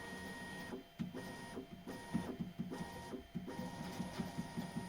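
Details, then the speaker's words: Bambu Lab X1 Carbon 3D printer, after applying soap to the bed belt tensioner roller where the belt rubbed its edge: stepper motors whir with soft ticks, bed squeak greatly reduced and running quietly. "Ну, поскрипывание значительно уменьшилась. Сейчас ещё подмажу немного."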